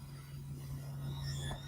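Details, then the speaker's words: 1984 Johnson 115 outboard tilt-trim motor after topping off hydraulic fluid: steady low electric hum of even pitch as the unit now raises and lowers; before, the motor ran but nothing moved; now normal. "I am able to lower it and raise it now before I was getting nothing but just I could hear the trim tilt motor moving but I was getting nothing in response it was not moving up or down"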